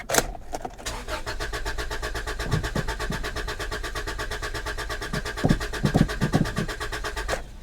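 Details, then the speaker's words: Old Honda at a salvage auction yard: fast, even starter cranking for several seconds but the engine never catches; no fuel pump heard, so a fuel pump fault is suspected, not confirmed; crank, no start. "you know what I don't hear is the fuel pump I do not hear the fuel pump [Music] well she's not even trying its cranking but it's not even trying at all"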